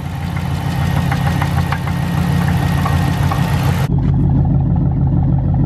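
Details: Dodge Charger SRT8 6.1 idling, may turn off, engine light on: rough idle with uneven taps about three or four per second; owner suspects motor done; cause unknown.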